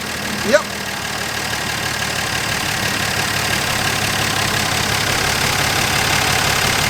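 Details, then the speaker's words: Dodge Dart Swinger (A-body Mopar survivor) with 225 Slant Six and single-barrel Holley, start from key after sitting: single blip, then steady even idle hum, no misses or knocks; pulling clean gas from tank, fuel line good. "It's pulling up clean gas from the tank, which means that our line is good between the pump and the tank. Motor sounds awesome. It don't get much better than that."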